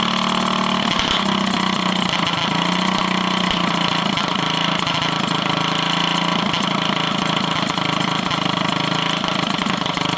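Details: Drift go-kart with a near-stock small engine on a stage 1 kit, not run since last summer (over a year), hunting for idle with uneven, stumbling beat and no settled rhythm; owner suspects it just needs running in again.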